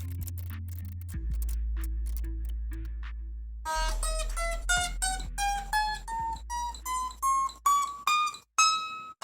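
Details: Black Kramer electric guitar with lowered action after a fret-out fix by polishing frets with 400 then 600 grit: notes climb the neck, each ringing clean with no fret buzz.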